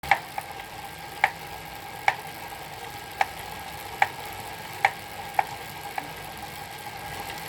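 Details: Elite Suito trainer: sharp hollow knocks at irregular intervals, roughly one a second, over a quiet whir; something striking inside the trainer.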